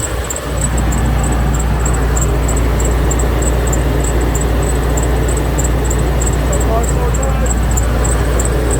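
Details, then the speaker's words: 2003 Winnebago Adventurer 35U, Workhorse 8.1 Vortec, first test run after oil cooler line leak repair, no leaks; steady low engine drone with faint quick chirp about three to four times a second, squeak source unknown, to investigate. "don't know if you can hear it or not. I hear a little bit of a squeak. We need to investigate."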